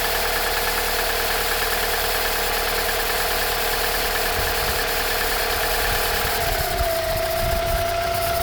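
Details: Toyota 5S-FE engine at cold start: a steady tapping knock rides over the idle, which settles lower near the end; the knock is worse in frost and its cause is unknown.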